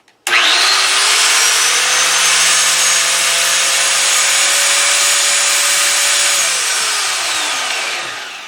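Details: Right-angle grinder run without its guard after re-greasing the gearbox, following a viewer's comment that it sounded off. It spins up to a steady high whine and runs down evenly with no gear grinding or rattle; it sounds healthy.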